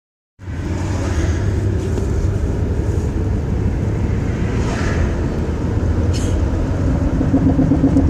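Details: Car driving, sound recorded near the floor on the front driver's side: low, uneven thumping under road rumble; cause was broken front and rear half-shafts with ripped boots, worn bushing, no grease, and a broken control arm.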